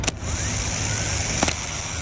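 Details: 2007 Kenworth T600 Delco Remy 39MT starter bench-tested with jumper cables: solenoid click, then free whir with no grinding; starter seems good, owner suspects bad solenoid and plans replacing it.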